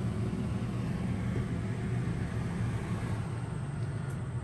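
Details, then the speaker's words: 15k BTU RV air conditioner in Forest River Cherokee Alpha Wolf 26DBH-L on 120V/20A house service, switched to cool low after fan: deep sluggish drone, compressor labouring and running slow, might trip breaker. "so it's trying it's not liking it you can hear it's running really slow wouldn't be surprised if it kicks the breaker"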